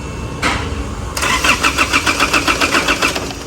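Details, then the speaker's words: Isuzu MU-7 no-start: starter cranks engine steadily about four turns a second but never fires; fuses checked fine, scan tool needed, immobilizer fault suspected as cause. "ไม่ติดเปิดออนก็ไม่ติดเป็นปัญหานะครับคันนี้เครื่องยนต์ไม่ติดใไม่หมุนน่าเบื้องต้นเราจะนำเครื่องสแกนเข้าตรวจสอบก่อนนะครับ"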